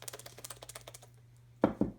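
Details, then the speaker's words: Cleaned hydraulic roller lifter from a smooth-running 110,000-mile engine, washed in diesel, shaken by hand: quick run of light even ticks then two firmer knocks; plunger moves freely, fully functional. "roller lifter the internal mechanism on all of these lifters are perfectly clean they're gonna pump up and work great"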